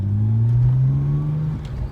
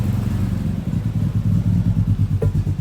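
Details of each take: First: Nissan GTR, first running after years of neglect, warmed up to temperature: clean rev climbs smoothly then settles, steady deep exhaust note with no misses or rattles; normal running. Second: Nissan GTR run after sitting for years, second start: uneven lumpy idle with irregular stumbles, running poorly; plan to clean airflow meters, fit new plugs and inspect.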